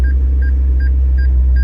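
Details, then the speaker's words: 2015 McLaren 650S Spider reversing at idle, about 3 feet from a wall: steady mid-pitched parking-sensor beeps about three a second over a deep engine rumble; sensors warn with no close obstacle. "I mean, we're not even close, and I don't know if you hear the beeping, but it's still going off."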